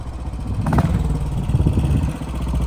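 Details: 1957 Royal Enfield 500 Redditch Bullet, Lucas SR1 magneto ignition, clip of earlier riding uphill: deep steady single-cylinder thump pulling evenly under load with no misfires or clatter; running well.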